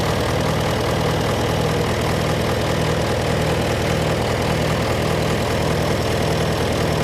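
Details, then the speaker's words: John Deere 401C diesel idling in neutral, with a cracked block and suspected liner O-ring leaks. Uneven, lumpy beat with one pulse in the cycle missing. By touch, cylinders 1–3 are hot but 4 is stone cold: a dead cylinder from a faulty injector. "this was me trying to tell you that that cylinder was cold so here we have that one's hot that one's hot to the touch number one number two is hot to the touch number three is hot to the touch three is not quite as hot as the others but four is Stone Cold"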